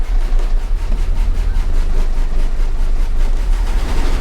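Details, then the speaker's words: 1985 GMC C1500 Sierra, bought cheap as a salvage-auction truck, running just after a fuel tank and sending unit replacement and fresh gas, takes a while to prime; low, lumpy, uneven rumble that never settles into a smooth idle, still running rough, cause unclear. "it's running but I was really hoping that it would clear up with some fresh gas and a fresh tank and a fresh sending unit it's just not running bright at all"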